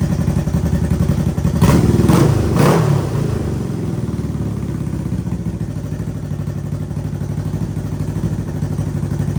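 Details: Honda CB360T twin motorcycle started after many years off the road: quick throttle blips rise and fall cleanly, then it settles into an even, steady idle with no knocks; normal running.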